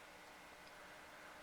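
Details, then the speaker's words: Levoit LV600HH hybrid ultrasonic humidifier after fix: soft, even airy hiss with faint steady hum, no rattle or squeal; loud noise came from white calcium buildup on the inside fan, cured by oiling the fan bearing with sewing machine oil. "oh my that really helped a lot steam slate just blowing out and I can't even hear that more blowing"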